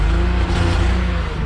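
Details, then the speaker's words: BMW E34 M50 swap donor car, only stays alive if revved: deep, uneven, lumpy exhaust beat sagging and wavering at idle; owner suspects a large vacuum leak, not confirmed. "This thing ain't happy at all. Let's see if it'll idle. It's idling. It is not happy. I think this thing has a pretty wild vacuum leak."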